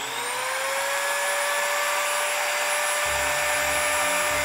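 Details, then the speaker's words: Parkside (Lidl) Dremel-style multitool after fixing its out-of-round housing with a hose clamp so the motor fan no longer rubs: clean steady high whine rising and settling, speed adjustable, no rubbing at maximum; normal run after repair. "Et là je peux régler maintenant l'intensité que je veux, du moins la vitesse de rotation. Et là je suis au maximum et on n'entend plus du tout le bruit."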